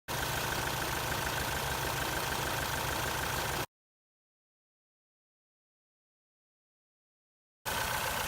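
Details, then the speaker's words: 1999 Ford Contour petrol engine misfiring for weeks with check engine light for misfire, before coil pack replacement: rough, lumpy idle from one cylinder's failed ignition coil; engine misfire at idle. "right so here I have my 1999 Ford Contour and it's been misfiring on me pretty much for the last few weeks"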